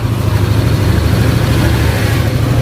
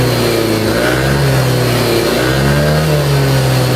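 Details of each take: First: Yamaha Aerox 155 scooter after repair of ticking (ngeletek) noise at idle, camshaft bearings or rocker arm checked: smooth, even low rumble, no ticking or knocking; normal idle, though smoke suggests worn piston rings. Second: Older Yamaha Aerox 155 scooter, revved up and down: smooth when VVA engages, but a severe ticking clatter at low-mid rpm; camshaft bearings or rocker arm suspected, possibly after a late oil change.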